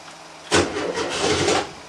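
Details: 1975 VW Type 2 campervan with a new battery, not started for weeks, fuel pump primed: a single short churn of cranking, about a second, fires weakly and dies back; hard starting.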